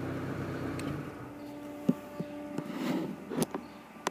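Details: Chevy C1 TBI idling during no-start diagnosis; the blue fuse 4 feeding the fuel pump is pulled, and the quiet engine hum drops out midway with a few relay clicks. Stall from fuel pump fuse removed.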